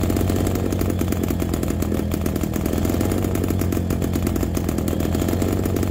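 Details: MZ BK 350 two-stroke motorcycle on its first start after restoration: a deep, even beat with a steady low thrum and no knocks or misses. The engine is running healthy.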